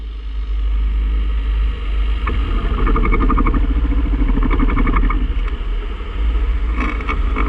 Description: 2006 Hatchback, manual transmission; Passenger side, inner CV joint. Trying to confirm it was the CV axle and not the clutch or throwout bearing. It was definitely the axle.